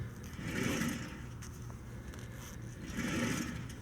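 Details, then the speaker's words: 2004-2009 Nissan Quest rear wheel hub spun by hand with brake pads removed: dry, gritty scraping swelling and fading each turn from a worn rear wheel bearing. "We shouldn't be hearing this thing hit or rub against anything here. I don't know if you can hear that, but it's really noticeable."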